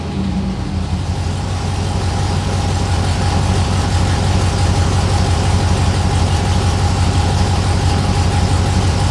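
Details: 6.0L LS-swapped S10 with fuel system clogged by rust from the gas tank: steady idle with an uneven, lumpy beat, one cylinder dropping out regularly.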